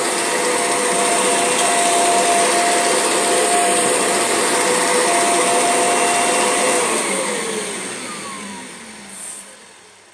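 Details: Kirby G6 vacuum cleaner with its belt lifted: a loud, steady roar with thin whistling tones that slide down in pitch as the motor spins down. An unusual motor noise of unknown cause.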